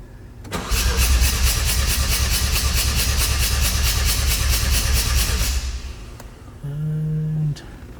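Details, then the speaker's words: Mazda RX-7 FD 13B turbo, compression test: starter spins steadily about five seconds with even pulses around three per second; rotor faces evenly matched, about 100 after correction. "consistent still around 100. see i told you i told you your car is pretty much around 100."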